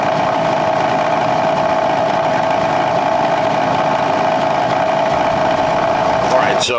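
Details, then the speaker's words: Squarebody K5 Blazer heater blower motor, possibly original: steady droning whir at one even pitch with a rough hiss behind it. It is noisy with poor airflow, and a worn squirrel cage is suspected. "as you heard glow motor has seen better days um for all we know it could be the original one in here so not only is it making noise but the airflow stinks probably because it's the squirrel cages and pieces not pushing good air"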